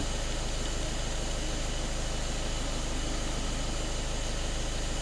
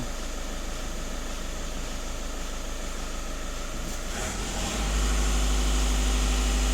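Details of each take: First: VW Caddy 1.6 TDI diesel, manual, nearly 300,000 km: low, heavy idle with a steady throbbing pulse near two beats a second. The engine is choking because the throttle body is jammed closed (throttle fault plus high fuel pressure codes). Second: VW Caddy 1.6 TDI diesel, during the automatic turbo test with both pedals pressed: steady idle clatter, then revs step up near four seconds and hold evenly with no whistle or flutter. Boost is normal, and only the EGR system is still out of spec.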